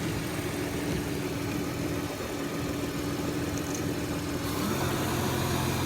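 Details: Petrol car engine idling with a soft, uneven knock of about three beats a second, after Lucas oil stabilizer and Liqui Molly ceramic additive and some driving.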